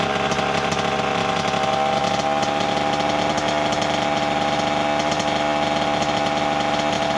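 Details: 1988 Kawasaki KX80 two-stroke, first start in 15 years after a new piston; earlier flooded. Crisp, buzzy note revving up and holding steady with even firing, no knocks or misses: running properly.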